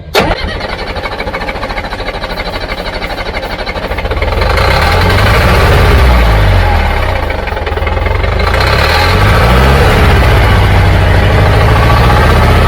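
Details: Old Caterpillar diesel after bleeding air from injector lines; starter grinding over at steady rhythm, then note deepens and swells as the diesel tries to catch.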